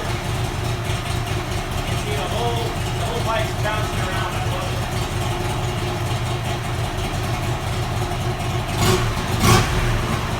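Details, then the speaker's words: Buell XB12R V-twin after rebuild, about 100 miles since, no check engine or oil pressure lights: deep, even lope at idle with crisp throttle blips, running smooth and steady; normal idle. "so as you can see the bikes running amazing now"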